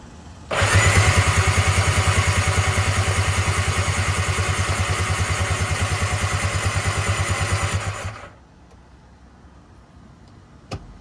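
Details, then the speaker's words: Tigershark jet ski (PWC) sitting 15 years, first start attempt after brake-cleaning plugs: even, fast starter chugging about eight seconds, never catches; water in the cylinders being cranked out. "Trying to not totally murder the starter. That's not really that hot. I haven't been putting any pressure on it. I've just been trying to get this water out."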